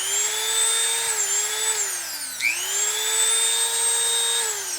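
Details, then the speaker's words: Repaired made-in-Mexico Dremel rotary tool, single speed 35,000 rpm: high steady whine dips once and spins right back up, smooth with no grinding or rattle; normal running. "This one here is just a single speed, 35,000 RPM. But I got this Dremel tool that was given to me back working again."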